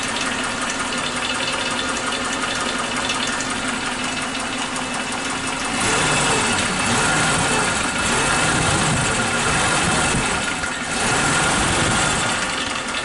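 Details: Suzuki Katana engine at steady idle with fast, somewhat uneven ticking, three to four per second; owner suspected loose valve clearance, but the source is unclear, possibly normal from the factory.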